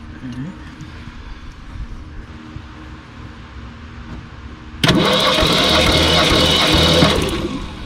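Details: 1966 Ford Ranchero with factory V8, cranking during a compression test with plugs out (about 150 and 145 psi readings): about two and a half seconds of steady starter whir that never fires. Cranks with no start.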